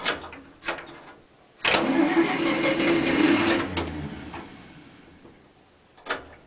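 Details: Cold start of a 1947 International Harvester KB-1 panel truck with an unrebuilt Green Diamond 214ci, choke pulled, no fast-idle linkage or throttle cable: faint clicks, then a rough cranking burst catches, runs a few seconds and fades; normal cold start.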